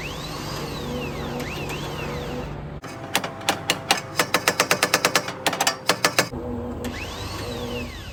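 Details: 1989 Mustang GT 5.0 drag car (stock shortblock, MSD 6AL, 650 carb) trying to start after two-step wiring: burst of rapid, uneven sharp clicks, about six a second, no cranking or firing; starter clicks but won't turn engine.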